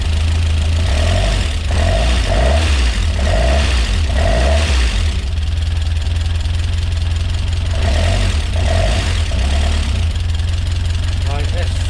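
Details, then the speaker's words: Rebuilt Peugeot 205 GTi Mi16 engine on first start: steady idle with busy, loud clattery ticking from the top end; owner hopes it clears. "Wow, really tappy that. That noise at all. Okay, that's really loud, isn't it?"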